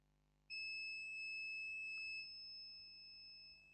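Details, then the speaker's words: HP Pavilion G6 laptop motherboard (no display, three beeps) checked with multimeter continuity: steady high-pitched beep for about 3.5 s, reading zero across a capacitor, showing it is shorted. "zero the capacitor is shorted and I'll check I think yeah this one is shorted this one shorted this one shorted"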